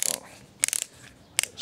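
Quick bursts of sharp clicking ratchet as the screw seats; torque clutch releasing normally, no motor strain.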